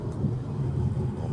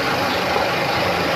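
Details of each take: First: Geely Okavango 1.5L hybrid on highway test drive after DIY replacement with genuine dual-mass clutch flywheel: steady low even rumble, no knocks or rattles; drivetrain and clutch perform normally. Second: Geely Okavango 1.5L hybrid at idle: faint uneven knocking and rattle under the engine note from a worn dual mass clutch flywheel, to be replaced with a genuine part.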